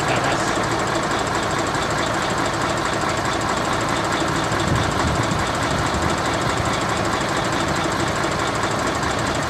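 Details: Mercedes-Benz Actros 1844 truck that had been hard starting every morning, now at idle: a steady, even diesel clatter with no misses or hunting. The engine is running fine now.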